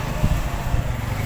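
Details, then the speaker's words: Hitachi 15 kg washing machine after repair of an F1 error: low, regular thumps and swishing as the drum turns and agitates back and forth; normal drum agitation. "ปึบตอนี้มันก็ยังไม่อะไรเนาะข้างในหมุนแล้วครับนี่ลุบๆแล้วคลุกๆแล้วนี่นะ"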